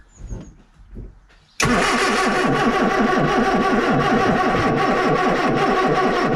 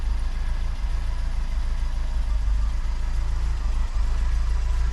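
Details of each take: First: Austin Allegro 1300 Super, cold, after months stored, cranking on jump leads: long steady cranking about three and a half beats a second for nearly nine seconds, not catching; owner blames mechanical fuel pump refilling, mentions damp distributor cap check. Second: Austin Allegro 1300 Super, first start in months after jump start on a cold day: low, steady, even four-cylinder idle with no misses or knocks; sounds happy and healthy.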